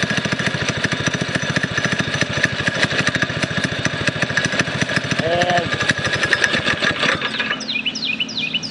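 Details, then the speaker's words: Predator 212cc single-cylinder go-kart engine after fitting bow springs: a fast, even popping idle, then it cuts out from running out of gas. No clunk or knock; the earlier "funk" is not heard. "you really didn't hear that funk that I was telling you about"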